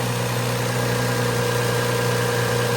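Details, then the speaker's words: Toyota 1MZ V6 in an ES, idling just after an oil change with 5 quarts to the full line; spilled oil is burning off. Low, smooth, even hum with no knocks, misses or ticks. Normal idle. "Now just for fun, let's crank it up so you can hear how well she's running. You would be hard-pressed to find a V6 smoother than the Toyota 1MZ."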